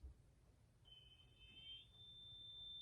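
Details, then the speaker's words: Sustainiac installed in a Peavey Wolfgang guitar: with the driver on and the volume turned down, a thin, very high steady squeal over a quiet hum; fine at full volume. Sustainer feedback, with a suggested fix of a 330 pF capacitor on the volume pot. "I'm sure you can't hear it, but there's a squeal. Maybe you can pick that up. When it's all the way on, it's fine. When you start turning it down,"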